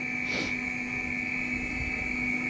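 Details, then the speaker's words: Audi Coupe GT (DZ) 1.8 8v with K-Jetronic, after fitting new Bosch injectors and Golf 2 GTI 16s aviation-type lines: a steady high-pitched buzzing hum, the injectors singing properly with the flow plate barely open. The old lines and wrong-reference injectors are suspected of the earlier poor spray. "Donc là, il chantouille bien comme il faut, malgré que le plateau est à peine ouvert."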